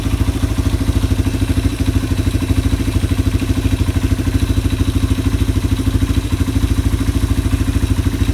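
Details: Yamaha ATV (four-wheeler) idling after carburetor cleaning and float adjustment, while a new air filter replaces a very dirty one in the air box. Quick, even single-cylinder thump, steady without surging or stumbling: normal idle.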